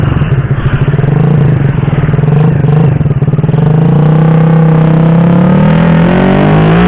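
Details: Honda Supra Fit (C70 body) with PE carburettor swapped from size 28 to 24, ignition possibly also at fault: rough, uneven note stumbles as revs climb through mid range, then rises unsteadily; serious hesitation accelerating at medium-high rpm, cause suspected, not confirmed.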